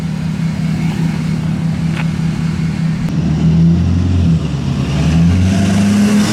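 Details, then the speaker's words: 2011 Ford F350 6.7 Powerstroke diesel after engine replacement, street tune, first drive: deep exhaust rumble building smoothly under light throttle acceleration pulling away, no misses or rattles; normal running. "so I'm gonna do some little exhaust Clips just kind of some light throttle like acceleration pulling away from you guys so we'll we'll see if she sounds like a yes"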